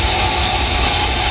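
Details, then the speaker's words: Electric water pump motor running after resetting a tripped magnetic contactor overload: loud, even, steady rush with constant low hum, no surging or grinding; runs quieter than the other pump, overload trip suspected from running too long and overheating. "So, kasi maganda naman yung run ng motor. So, mas tahimik na yung takbo niya kumpara dun sa isang pump motor."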